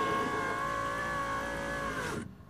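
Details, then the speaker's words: 1996 Toyota Camry driver door power window after window motor repair, tested with the key on: smooth, steady electric whir for about two seconds, clean stop at end of travel; window works normally. "so we got a working window"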